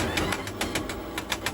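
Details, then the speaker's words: Electric four-wheel vehicle about a year old, jacked up, wheel spinning unloaded: regular knock about seven times a second over a whirring drive, same on both sides; suspected damaged motor or differential bearing or gear, not confirmed. "两边都有这个声音，声音是一样的，很有可能就是电机或者差速包里边的轴承或者齿轮损坏了。"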